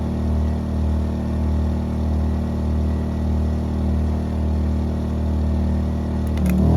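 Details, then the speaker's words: 2000-watt WEN inverter generator running a 90-amp flux-core MIG welder on the minimum setting: a steady low drone under welding load, then the note sags and idles down as the overload trips and the welder stops. "right here I realized that the overload on the generator tripped you can hear it just idle down and the welder stopped working"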